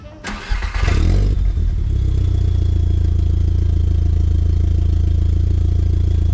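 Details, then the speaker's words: VW MK4 Golf GTI 1.8T after exhaust rebuild with V-bands (resonator had repeatedly broken), about a week later: start-up flare then deep boomy idle with throbby, raspy exhaust drone; owner suspects a couple of muffler baffles going bad. "uh the muffler has a couple baffles going bad in and i think but here's what it sounds"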